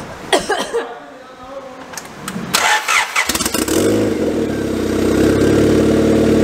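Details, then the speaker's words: Honda Prelude, freshly fitted turbo and custom downpipe with no gasket, turbo lubed only with WD-40: after a few cranks it catches and revs steadily, but pickup sounds lazy, not revving as easily as it should; cause unclear. "I'm sitting here like, why does it sound like that? It should be revving a little bit easier."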